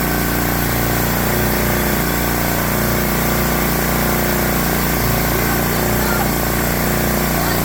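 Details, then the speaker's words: Briggs & Stratton 7 hp engine on a Swisher 22-ton log splitter, after carburetor cleaning to cure surging: steady, even idle with no hunting or surging. Normal idle, fixed. "Ta-da! Good. Nice, easy fix."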